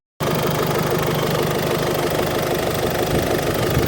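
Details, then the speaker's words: Ford Fiesta Zetec S 1.6 TDCi diesel with new stainless Milltek turbo-back exhaust: steady idle with soft mellow diesel clatter, no knocks, rattles or exhaust blows; normal, not loud. "that is it that just sounds like a normal car exhaust rumble or just a normal fiesta sound like it did before"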